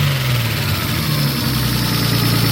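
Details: Nissan R32 Skyline RB20 first start after install, one charge pipe and air temp sensor missing: smooth even idle, steady low hum with light injector ticking, no misses or knocks; normal idle, injectors noted as noisy.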